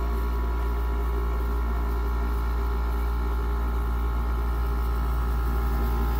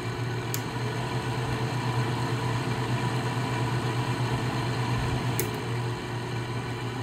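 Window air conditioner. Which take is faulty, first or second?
second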